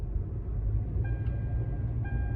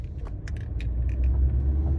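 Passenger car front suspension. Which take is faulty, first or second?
second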